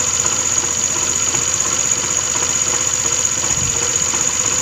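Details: TVS Scooty Streak scooter at idle: thin high whine with rough, uneven rattle, suspected worn engine bearing, not confirmed; clutch roller bush set and transmission gear later dismantled; abnormal engine noise.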